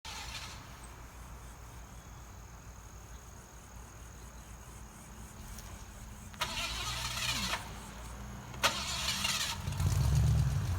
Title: Mans Junky Car Won't Start!